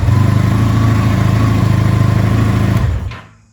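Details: Vintage motorcycle started on choke with a new NOCO NLP14 lithium battery after old battery cranked without firing; even rapid lumpy beat at steady speed, then clean shutoff; running normally.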